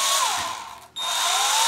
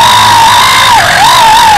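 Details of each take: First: WLToys V262 quadcopter with a brand-new brushed motor, run at the lowest throttle for break-in: a thin steady whine that drops out briefly, then returns and slowly climbs in pitch. A normal low-throttle run. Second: WLToys V262 Cyclone quadcopter in flight: high whining drone buzz with a wavering squeal near 1 kHz from one failing brushed motor, fixed by replacing the motor.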